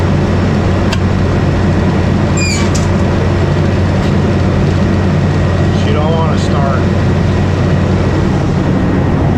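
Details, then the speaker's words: Old R12 milk cooler compressor, with the breaker switched on: a steady low mains buzz and no attempt to turn; the compressor is locked and won't start. "can just hear it buzz, not even try to start. So this is an old R12er. It just don't want to start. It's locked."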